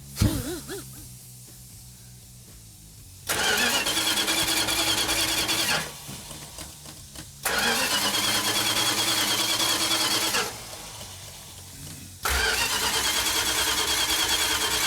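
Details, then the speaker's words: 1972 Plymouth Duster 340 rebuild, first start attempt with distributor timing unknown and no fuel yet reaching the engine; three bursts of steady starter cranking, never catches; cranking, not firing (no fuel), fuel leak found afterward. "hey mark it's not firing well there's no fuel in it it's i was just going to crank it and let it build"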